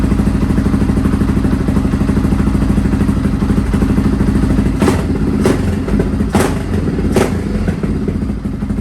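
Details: Restored Honda XR650R single, first run after years idle, idling in a cold workshop after heating the inlet manifold; valves adjusted, carb rebuilt. Steady thump, clean exhaust beat, faint clanks. Sounds quiet and healthy; tiny oil and water leaks noted.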